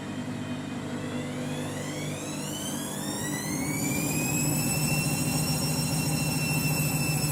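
Loud roar with a whine climbing in pitch as the drum winds up to full speed; spin is much noisier than it should be.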